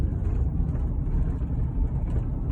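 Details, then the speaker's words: Car on a test drive over rough roads after cracked dashboard pieces were rejoined with silicone sealant, before the DashSkin cover went on; only low road rumble, the usual dash clicking is gone. "least it's not even making any noise yet. And when I tell y'all, these roads are terrible. Normally it sounds like click, click, click, click."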